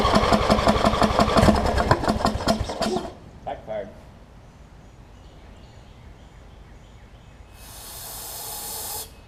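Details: Wizard (Craftsman) riding mower with a worn-out old carb and a hit-and-miss starter solenoid, after carb cleaner spray: even cranking near three strokes a second for about three seconds, never catches; no start; suspected fouled plug or sheared flywheel key.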